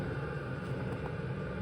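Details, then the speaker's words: Chinese diesel heater in military enclosure, running about 2 to 3 minutes after lighting, warm exhaust and warm air output: steady even low rumble and hum, no knocks or surges; burning smoothly, normal running. "good okay it's been going for about 2 or 3 minutes smell definitely warm exhaust coming out"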